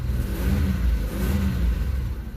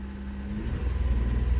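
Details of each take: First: 1994 Isuzu Rodeo, vacuum line still leaking slightly, going into closed loop: engine revs up and settles back smoothly several times with no hesitation or stumble. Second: 1994 Isuzu Rodeo, MAP-sensor OBD1 petrol engine, runs very rough at idle with irregular backfiring puffs; lean condition, open loop, checked with Snap-on MT2500 scanner for integrator and block learn.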